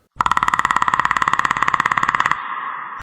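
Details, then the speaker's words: Surron electric bike at about 1600 miles, ridden in wet conditions: fast, even clicking, about fifteen a second, over a shrill motor whine. Jackshaft bearings were suspected but ruled out; the cause was rust inside the motor. "that's because your jack shaft bearings are going bad it's a very common problem for sirons"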